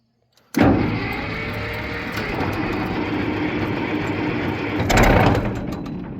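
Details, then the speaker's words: Case 500 diesel tractor at about 65°F, hand throttle set, fuel on, decompression lever up, in neutral: brief crank, then it catches almost at once and settles into a steady diesel clatter; a good, healthy start. "So these are fairly easy to start, and you'll see this one starts really good for what it is."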